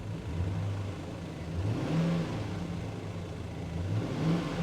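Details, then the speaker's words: Chevrolet Tahoe V8, 235,000 miles: smooth, even revs rising and falling cleanly with no knocks, ticks or misses; healthy truck, normal revving. "she sounds good this is healthy healthy truck 235 000 miles"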